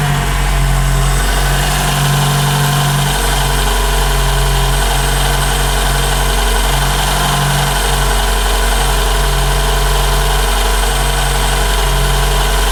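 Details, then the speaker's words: 2012 Toyota Camry 2AR-FE, warm idle: faint high screech over the engine note centred at the timing chain area and getting louder, caused by a broken upper timing chain guide; a separate cold-start rattle also exists. "a screeching sound. That's not normal for these. It does get a lot louder than this. This noise is centralized right here, right in the chain area."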